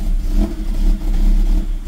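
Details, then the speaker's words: Car fitted with a swapped immobilizer-delete (unlock) ECU, fuel pump sounding fine: revs rise and sag unevenly about every half second, never settling, won't hold idle; owner suspects software mismatch from the car's eccentric (cam) mod, unconfirmed. "Saçmalama gitti. Bırakalım. Rölantide duramıyor. Bu bence benim yazılımımla alakalı."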